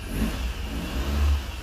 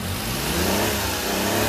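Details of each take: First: Three-cylinder mini truck started after new fuel and cleaning, mechanical fuel pump feeding through the filter: catches and revs smoothly with a deep even note, no misses, knocks or ticks; runs cleanly on all cylinders, normal start and rev. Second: Mini truck, owner suspecting frame-mounted snorkel plugged with mouse debris starving air: engine speed sags and surges unevenly, nearly stalling then recovering; stumbling, cause not confirmed.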